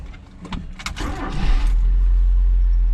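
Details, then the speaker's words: Mazda B2200 pickup cold start after sitting since yesterday, about 51 degrees, in neutral, three or four accelerator pumps; a few clicks and short crank, then catches into strong, steady low rumble at higher RPM, idle coming up as it warms; normal. "been sitting since yesterday, so we're going to do a cold start."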